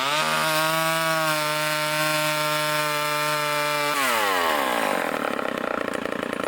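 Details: Vintage Craftsman chainsaw with Power Sharp, after new air filter, fuel line, fuel filter and rebuilt carburetor: steady high buzz at full throttle, dropping smoothly as it cuts wood; running clean and strong under load.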